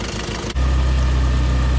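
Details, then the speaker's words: Mitsubishi Starion/Conquest G54B, warm idle after a brief blip: a steady, even, quiet low hum with no ticks or misses. The owner suspects the wrong engine oil. The idle air control is missing, the O2 sensor is unplugged and the TPS is faulty. Normal warm idle. "And there, once she warms up, she acts completely civilized and not bad. Not bad. She's really quiet."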